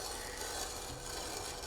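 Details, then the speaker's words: Bicycle disc brake after applying Squeal Out paste, wheel spun by hand: steady dry rasp with no gaps as the rotor drags on the caliper pads. "it drag on the caliper pads as I turn the wheel. So it's coming into contact not only with the rotor itself, but with the pads inside the caliper as the rotor travels through the caliper."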